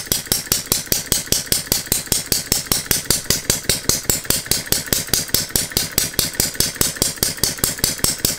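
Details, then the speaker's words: Philip Duclos Odds n Ends hit-and-miss model engine running on a Viton-ring piston after the cast iron rings failed to seal, with the governor disabled: crisp, even bark about five beats a second with no misses. It runs well, though the governor needs stronger springs. "anyway this little engine seems to run okay on the viton ring needs a bit of tweaking here and there in terms of like the governor and needs some stronger springs on it"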